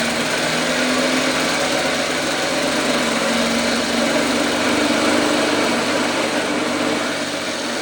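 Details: 1954 Lawn-Boy RPM 8FH13LB two-stroke mower, dormant 50 years, first start after carb cleaning: high flat-out buzz that never settles to idle; air leaks past the super loose throttle into the carburetor, runs wide open.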